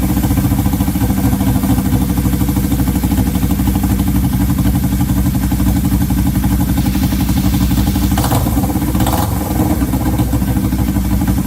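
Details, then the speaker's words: 1970 Honda CL350 twin, sitting 42 years, first run on a temporary fuel line into the carbs with choke on: steady clattery running, but the idle hangs high after each blip; suspected vacuum leak or sticking throttle cable. "either we have a vacuum leak or the throttle cable sticking when you go to Revit kind of hangs the idle kind of hangs"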